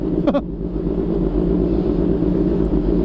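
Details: Kawasaki ZH2 with a possibly drained battery, after a no-start: a short starter burst, then a steady, even idle with a firm low hum; running fine.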